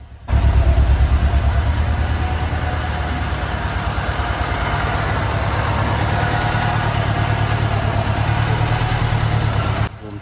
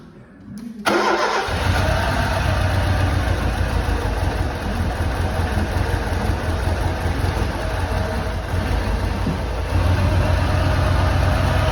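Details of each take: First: Lancia Delta HF Integrale, sat about 20 years and unstarted over six, after fuel system overhaul, new fuel pump, four new injectors and fresh high-octane fuel: now warmed up, steady even idle rumble without stumble or miss, running much better than the earlier misfire. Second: Lancia Delta HF Integrale barn car, first start after over six years unrun, following new fuel pump, cleaned fuel lines, four replacement injectors and fresh fuel: a couple of short cranks, catches, settles into lumpy uneven idle with slight misfire.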